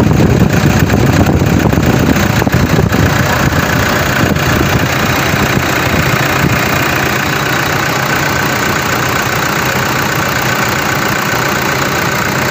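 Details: Engine after repair near alternator belt area: steady idle, even hum, no squeal or chirp; earlier noise gone, normal.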